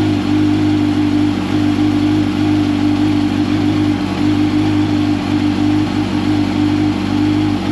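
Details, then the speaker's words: 2005 Yamaha R1 after faulty starter replacement for hard starting, oil refilled: engine settles into smooth even run with steady hum, no misses, knocks or starter grind; normal running after start. "starter sounds so much better one more for good measure"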